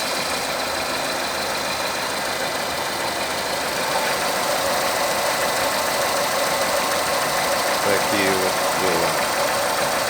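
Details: Renault Megane 3 K4M petrol engine after repair, with the cam phaser and its control valve replaced: smooth, even idle with a steady tone and no ticking or knocking from the cam end; the engine sounds healthy.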